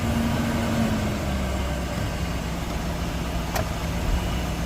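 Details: 1998 Chevrolet Express 3500 after ECM replacement, running though not charging, oil pressure gauge pegged: a low, steady hum with no knocks or misses. Normal, healthy idle.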